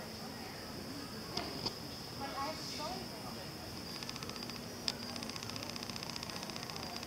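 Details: New Olympus TG-1 tough camera in video mode, about 40 days old, never dropped: a fast, even train of tiny internal clicks over a steady high whine and hiss, starting partway through recording. Cause unknown; the camera was sent for repair.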